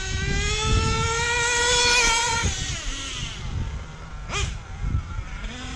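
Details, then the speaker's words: Hobao Hyper VS2 nitro RC engine after break-in, tank 11, being tuned; screams high, then sags and stumbles when the throttle snaps open before clearing, a bog on quick throttle. "hear how bad it goes bogs down when you do that quick"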